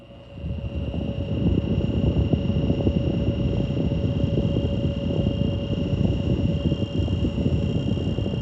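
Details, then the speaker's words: Lakewood S122 box fan, unused for a while, started on low speed. A steady hum with a high buzz on top that usually goes away once warmed up; the owner guesses a failing startup winding, unconfirmed. "it runs faster than this it's not been used in a while yeah you can hear the buzz"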